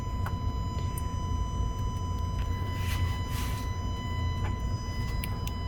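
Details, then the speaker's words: Alfa Romeo Giulia 2.0L with the engine off, heard by the turbo: a thin steady high-pitched whine under faint hum from the EGR valve solenoid running on after shutdown, not the coolant pump. "yeah so that's the egr it stays running after you shut the engine down"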